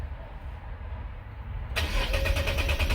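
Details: 2013 Nissan 370Z with start-stall complaint, fuel pressure tested above 60 psi: brief starter churn, engine catches cleanly in under two seconds and settles into a steady even run; normal crank and start.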